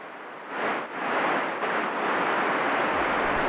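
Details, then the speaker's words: Compressed air system leak: a steady, rushing hiss of escaping air that swells briefly, then holds even; the leak's whistling is normally drowned out by plant noise and is located with an ultrasound detector. "produce air turbulence at their origin with a distinct whistling sound that sound is drowned out by plant noise making leeks impossible to find with our ears"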